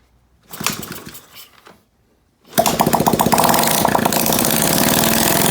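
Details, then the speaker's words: Honda SL70K1 that had a small fire under the tank, first start with fuel leaking and a clutch cable concern: the small single starts after fumbling, then runs fast but unevenly, spitting, sputtering and popping. Owner says the carburetor needs cleaning. "baby so well obviously the carb needs to be cleaned uh kind of spitting and sputtering a little bit now"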